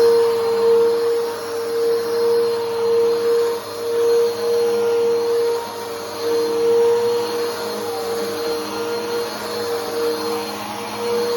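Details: Bissell Powerforce Helix 2191 (the older model) upright vacuum on a test run; steady, fairly high motor whine holding one pitch, shriller than expected, cause not evident; owner notes its motor noise differs from the 3313. Abnormal high-pitched motor whine.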